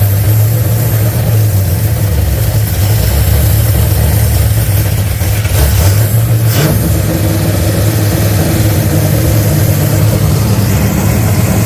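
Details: Holden HZ LS V8 swap with LS3 injectors, running on the standard ECU (VATS removed) after suspected fueling problem: steady, even idle, deep rumble, no misses; runs clean, needs a little tuning.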